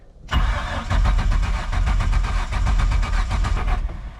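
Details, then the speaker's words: MerCruiser 4.3 boat engine on water muffs with fresh fuel and Seafoam, first start attempt while fuel pressure builds: starter churns about five turns a second for over three seconds, then catches and roars. Long crank before start. "still fueling up trying to get that fuel pressure up hear it [Music] whing there we go listen to that thing Roar it's going"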